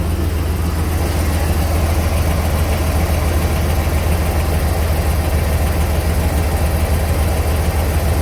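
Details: 2006 Chevy 3500 dump truck 6.0L V8, on lift during oil pressure test with dash gauge reading low: smooth deep burble at steady idle, no knocks or ticks; no tapping, good running engine, actual pressure about 42-45 psi.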